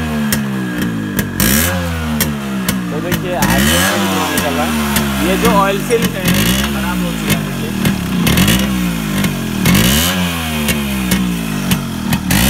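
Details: Yamaha RX100 two-stroke after a hard morning cold start following heavy rain: engine revs up and drops back in repeated bursts, picking up cleanly each time; running properly now.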